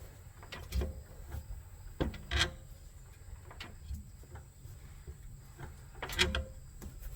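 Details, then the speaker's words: 2013 Ford Edge 3.5L V6 shifted between drive and reverse at idle: dull isolated clunks a second or more apart with each gear change; worn transmission torque arm joint with a lot of play lets the transmission shift, to be replaced. "you can hear it uh this is all shifting so we're going to get the car lifted up and we're going to replace that part right there"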